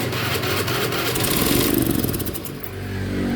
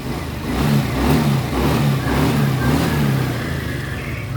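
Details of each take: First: Honda Beat FI scooter brought in as a no-start (O2 sensor also faulty): the starter churns and the engine stumbles into a few ragged firings, then fades. It is flooding because the injector sprays continuously whenever the key is on. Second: Honda Beat FI single-cylinder scooter after the wet spark plug was cleaned and refitted: it starts and runs with an uneven throttle rise and fall, no misfire or knock. The injector is faulty and must be replaced even though it is new.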